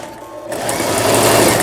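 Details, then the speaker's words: Toyota EC164K sewing machine, test sewing after repair of a jammed centre gear/cam block unit that had overloaded and stalled the motor: fast, even whirring stitch rhythm spinning up smoothly, no knocks or catches; normal. "서울 동대문구 휘경동 한천로로 보내지는 도요타 미싱의 EC164 제품, 예, 수리를 마치고 바느질 해보았습니다."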